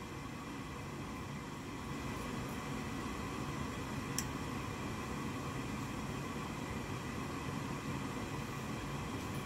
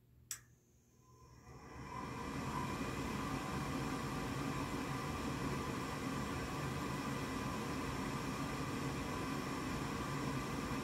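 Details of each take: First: Goodman gas furnace after replacing the vent air pressure switch (part B13701-42), which had caused three-flash pressure fault codes with inducer running but no ignition; after reset, steady inducer whoosh, faint igniter click, flame lights: normal startup. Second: Goodman gas furnace before pressure switch replacement: a click, then the inducer fan's steady whoosh with no burner ignition; the control board flashes three times, indicating an air pressure switch fault.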